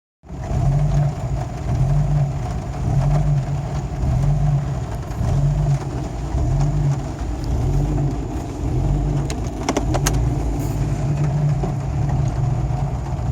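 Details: Jeep Cherokee XJ, 1993 block with 7120 head bored .060 over and a new IAC, problem began four days ago. A lumpy, loping idle pulse about once a second; owner suspects torn downstream O2 sensor wiring, not confirmed: rough idle.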